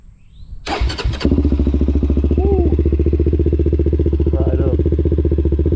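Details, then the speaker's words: Honda 400EX ATV with dry-sump engine, restored, cold start after sitting overnight: brief crank, catches at once and settles into an even single-cylinder thump with almost no valve tick; healthy cold start and idle. "man. That thing sounds good. Almost no ticking from this thing. If you've ever owned a 400, you know these things tick like crazy. This thing sounds great."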